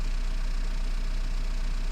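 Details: 2010 Renault Mégane 1.9 dCi diesel after repair of a P0090 crank-no-start caused by a bad wire to the fuel flow solenoid valve, which reads about 742 mA at idle. Steady, even low rumble with no misses, knocks or surging; healthy idle.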